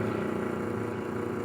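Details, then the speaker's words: Automatic gate motor fitted with a 15 µF run capacitor above its rating: main winding 213 V, auxiliary winding 308 V; strained, rough hum with uneven buzz; overvoltage on auxiliary winding, motor smoked after prolonged running. "E aí o botão essa grande diferença mesmo que eu coloquei no capacitor um pouco acima da capacidade do motor Atenção se eleva muito na bobina auxiliar"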